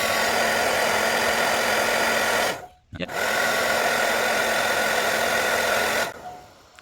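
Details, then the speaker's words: Brand-new Sur-Ron Storm Bee electric motorcycle, about 175 km, fan triggered by warming the coolant temperature sensor with a hair dryer: steady airy whir from the small fan behind the radiator with a faint even hum, no rattles; normal cooling fan and pump operation. "now it's running you can should be able to hear that a little fan up in there behind the radiator there"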